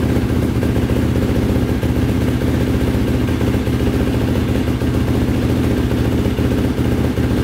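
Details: 2005 Yamaha YFZ450 big-bore single after rebuild, carburetor refitted with fuel screw two turns out (owner suspects a clogged pilot jet): steady, even idle thump with no stumbling or stalling as before; pipe starting to redden slightly.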